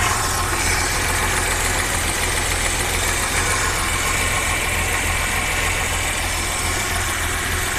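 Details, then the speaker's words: Audi 100 C4 2.8 petrol V6 with LPG (4th gen), freshly rebuilt and still in break-in, idling badly, stalling and lacking power; uneven stumbling thrum, rough idle with misfire; high-voltage plug leads found arcing. "ну двигун працює як Запорожця газ стоїть на ній двигун працює страшно"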